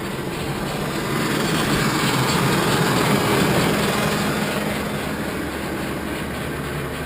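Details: 2001 Ford E-250 van just after a DIY in-tank fuel pump replacement: the engine fires up and settles into a steady, even, smooth idle with no misses or stumbles.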